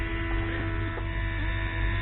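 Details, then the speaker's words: 2005 Mercedes W463 G500, driver's multicontour seat air pump: steady low electric buzz as the pump runs with nobody calling for it, switching on and off by itself. Owner suspects a pressure drop triggers it; it also intermittently fails to run or quits after 15-20 minutes. "this just came on by itself when I turned the camera on so this is signaled it's got to be signaled by a drop in pressure it's coming on and going off on its own"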